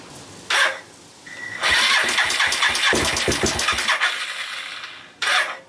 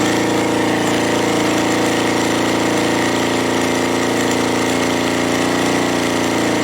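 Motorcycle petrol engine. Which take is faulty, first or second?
first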